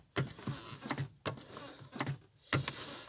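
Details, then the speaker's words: Lada Granta clutch pedal pressed after lubricating with WD-40: three soft strokes with dull thumps and only a trace of the former squeak left, nearly gone. "вот видите да скрип почти исчез выдержки еще разойдется как-то так друзья"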